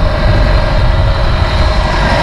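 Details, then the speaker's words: 2000 Bayliner Capri 1952 engine on a windy-day water test under load: heavy, steady drone with constant mid-pitched tone, no misfire or knock; no overheating, oil pressure good, bilge stays dry; motor running healthy. "Motor sounds good. Not getting a whole bunch of water in the bilge, which is one thing I was worried about."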